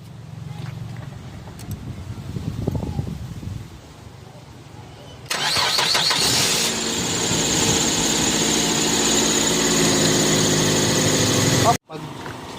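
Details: Mazda 3 that died and would only crank, after replacing a blown fuel pump fuse caused by a shorted stripped wire: short crank, catches at once, settles into steady even idle with no misses or knocks.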